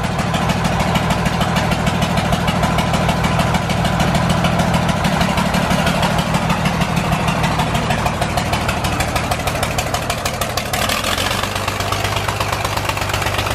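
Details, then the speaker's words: John Deere 4040 diesel tractor just revived after sitting for years: idle with an uneven, lumpy beat as one cylinder keeps dropping out. Cylinder number five is not firing, but the owner thinks it probably will if it runs longer. "our John Deere 4040 is alive it's not firing on cylinder number five but it probably will if we let it run for a little bit longer"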